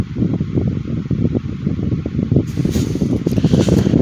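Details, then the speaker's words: 2010 Midea 12" FT30-8MB oscillating table fan on high speed: steady whooshing hum with faint irregular ticking; owner thinks it needs lubrication; noisy running. "Yeah, I think this could definitely use a good lubrication."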